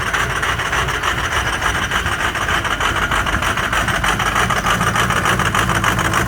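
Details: Ford 6.0 Powerstroke diesel cold start with an uneven, clattery idle and lumpy pulses about three a second that never settle; caused by some bad injectors.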